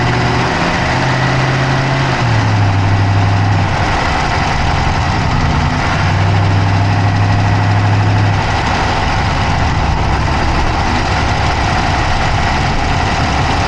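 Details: Dodge Charger Hemi V8 at idle, camera (Insta360 Go3) inside the engine bay on the passenger side: quick light ticking about three per second over steady idle rumble; cause of the tick not pinned down by ear.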